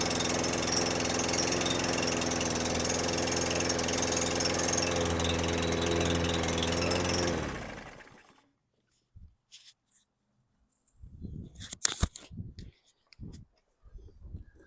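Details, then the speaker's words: 2018 Murray walk-behind mower, Briggs & Stratton 625EXI, flywheel key intact, blade adapter damaged by strikes, oil slightly overfilled, old fuel suspected: engine runs about seven seconds at low, lazy RPM with no power, then dies; carb clean planned. "so this thing starts it just has no power so I'll I'll start it for you you can hear it run"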